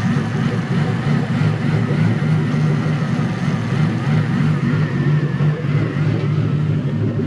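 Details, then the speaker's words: Toyota 1UZ-FE VVTi V8 in a 4x4 offroad buggy on its shakedown drive, warmed up and in gear: deep V8 with a slow, loose rub-rub pulse of about three beats a second, running unevenly; airflow meter position suspected, not confirmed. "see how it's rub rub rub that'll be airflow meter position"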